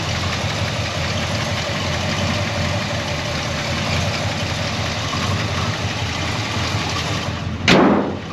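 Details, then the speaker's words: Frame-off restored 1971 Chevrolet C10, 350 cubic inch small-block V8, TH350 automatic, dual exhaust: just started, steady smooth burble with no ticks or knocks and an even idle; the click at the end is only a switch. "That 350 fires right off, nice and tight. No funny noises. Nice and smooth."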